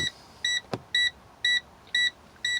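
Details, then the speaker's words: Air brake test, engine off with electrics on: brakes pumped to drop pressure, low air pressure warning buzzer sounds at about 60 psi (spec 55–75 psi) with sharp even beeps twice a second; working properly. "so we're going to apply the brakes gently and fast until we hear the warning light come on in the buzzer there we go okay it came on about 60 psi"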